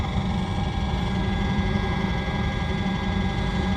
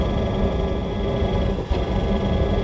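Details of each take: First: RV Hydro Hot heating system after DIY annual service: steady low burner roar with even fan rush, no stumbling or pulsing; brief smoke cleared quickly, likely unburned fuel or carb cleaner; burner operating normally. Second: RV Hydro Hot diesel burner during annual service: steady roar briefly dips and sputters, flame seeming to go out and relight with a puff of smoke; owner hopes it's just a worn fuel spray nozzle, not confirmed.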